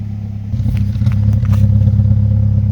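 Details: Mazdaspeed3 at idle: low rumble with a slight uneven lope and a few stray clatters; owner is trying to pinpoint a mildly rough idle of unknown cause.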